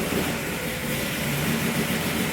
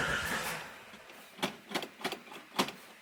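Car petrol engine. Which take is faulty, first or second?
first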